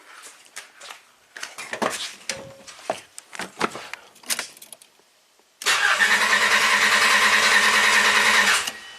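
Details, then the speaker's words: Vehicle cranked from a smart jump starter in boost mode on a simulated dead battery: steady, fast, even cranking about three seconds, then the jump starter cuts out; starter and supply sound healthy; normal cranking. "cranks like a champ and then it cut out"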